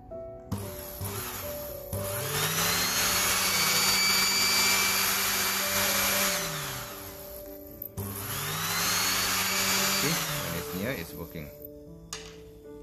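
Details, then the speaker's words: Cornell water heater with built-in pump, not heating, no red LED; external magnet held to flow sensor reed switch: steady hum rises, settles, cuts off and restarts as pump and heater activate; reed switch normal, internal magnet bar faulty. "that concludes when the magnet is near the reed switch and it activates the pump and heating element means the reach switch itself is normal"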